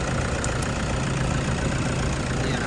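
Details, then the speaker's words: 2014 Toyota Vigo Champ 2.5 L (2,500 VN) diesel at idle after oil change. Even low diesel rumble, no knocking or misses, soft and smooth; no valve cover leaks, no blow-by or smoke; healthy idle. "เสียงเครื่องดังนิ่มมากนะครับฝาก็คงขวาล์วไม่มีมีรั่วไม่มีซิมนะครับถือว่าสภาพโอเคเลยนะนะ"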